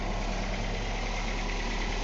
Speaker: hey it sounds good it's very quiet